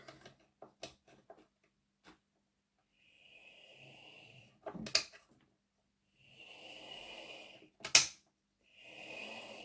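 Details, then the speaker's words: Heljan Class 23 model loco, sent in slow and clunky drawing 600 mA, after recentring the motor: light even high whirr between handling knocks, no kicking; runs smoothly, still slight growl. "yeah I think we'll go with that um certainly there's no kicking um it's running quite smoothly"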